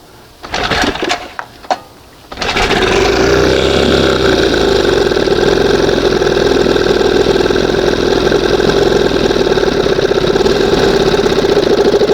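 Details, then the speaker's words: 1971 Johnson 20 hp outboard with high-idle problem, running on cylinder one only: settles to steady even low idle just before first mark, no misses or knocking; sounds normal. "And like I said, see how it sounds the the, you know, goes down. Sounds more like it normally should."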